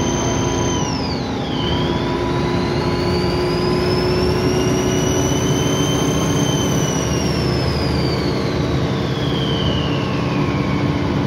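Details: Alexander Dennis Trident 2 double-decker bus (Alexander ALX400 body) on route; over a steady diesel drone, a loud high whistle sweeps and climbs and falls with engine speed: loud turbo whine.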